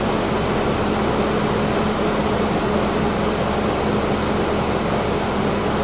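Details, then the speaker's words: 2016 Infiniti QX80 after replacing the fan clutch that kept the fan always running: smooth steady hum at about 1,000 rpm, no fan roar, quiet; normal cooling fan operation after repair. "You can hear that it quieted down now. The revs are all normal."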